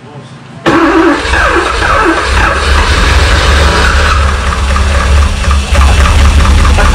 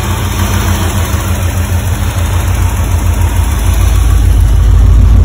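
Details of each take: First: 1985 Porsche 928S first start after a seized fuel pump and dirty fuel filter were replaced, having sat over the winter with the oil not refilled; it was down a quart. Loud, busy idle with a fast, uneven top-end clatter: low oil level noise. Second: 1985 Porsche 928S V8 running after fuel pump and filter replacement and a quart of oil topped up, having sat over the winter. Steady, even low rumble with a slight swell and no knocks or misses: normal idle.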